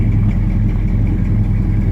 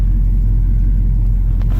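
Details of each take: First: 1969 Dodge Charger 500 Daytona with original matching-numbers drivetrain idling: big V8's deep, lumpy rumble with a faint puffing edge from an exhaust leak. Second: 1969 Dodge Charger 500 Daytona with its original L-code 440, fully warm at idle on a cold day: a deep, steady, even rumble with no knocks, 55 psi oil pressure and charging; sounds healthy.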